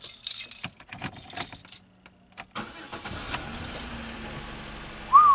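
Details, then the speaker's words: Pontiac Grand Am after removing an aftermarket remote start/alarm and re-bending a poorly contacting wire: scattered clicks, then the engine catches and settles into a quiet, even run; clean, normal start without the remote system. "all right so at least i know now that this is gonna run without that stupid uh remote system"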